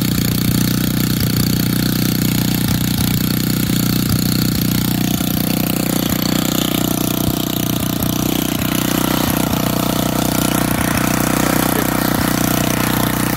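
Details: Old auction-bought Montgomery Ward tiller in neutral, just started: a loud, even single-cylinder putter at steady speed with no misses or knocks. Running normally.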